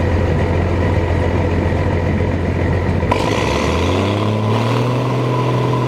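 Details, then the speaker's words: Massey Ferguson 760 diesel tractor, hard starting, losing prime with air getting into leaky injection lines: on an electric fuel pump it settles into a steady, even run and revs smoothly; engine-mounted lift pump suspected bad. "gotta run with that electric pump that's gonna run she's gonna run without that electric pump it's running so that's the problem electric lift pump must be bad"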